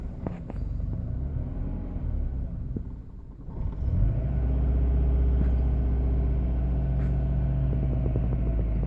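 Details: 1998 Subaru Forester: low idle rumble that wavers and hunts unevenly, never settling; rough idle, cause not clear.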